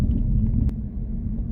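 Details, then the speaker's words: Older Saab being inspected before its MOT, heard while driving: a steady low drone from the rear under road noise, bearing-like but quieter than a bearing would be; the spare tyre is bolted down, and the cause is unconfirmed. "Can you hear like a drone noise coming from the back? Yeah, I can hear him almost bearing like, but not quite as loud as I would expect for a bearing."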